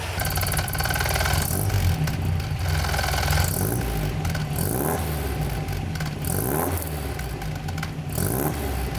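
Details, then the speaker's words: MGB being restored, first runs with the new exhaust, revved after warming up; crisp, even revs climb and settle smoothly with a slightly louder exhaust note; runs as before, healthy, normal revving. "so to me that definitely sounds very very good i'm very happy with not just that the car sounds good but also that the car runs very very well"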